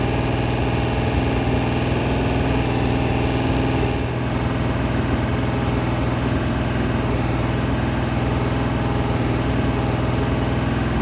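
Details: Freshly rebuilt 426 Hemi crate V8 (new heads, intake, pistons) on a run stand during flat-tappet cam break-in at 2400–2500 rpm, 32 degrees timing, 150°: steady, even high-idle drone, no ticking or knocking; healthy.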